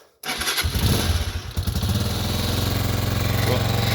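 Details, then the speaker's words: 2022 Honda CG 125L single, cold on choke before a valve clearance check: the engine runs lumpy with a light, quick hammering tap over the exhaust beat; valves suspected, cause not confirmed. "I hope you could hear that hammering um over the lumpiness of the running on full choke"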